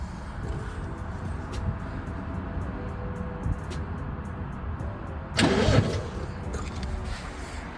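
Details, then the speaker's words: TVR Tuscan stored under a cover for 14 years, fitted with a new battery and a new fuel pipe from pump to filter. The immobilizer light is flashing and no fuel pump is heard. The starter churns steadily but the engine never catches: cranks, no start. "but you've got no fuel pump I can't hear it again"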